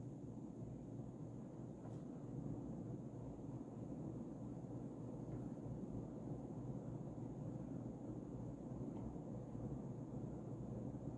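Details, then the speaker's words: Early-2000s Casablanca Panama II 50" ceiling fan, XLP stack motor, mounted on Low Ceiling Adaptor, started on high (low-medium-high sequence): soft steady air rush, faint low hum, no ticking or wobble knock; normal running on high. "so let's start it up on starting up on high it goes low medium high like all Casablancas speed sequence"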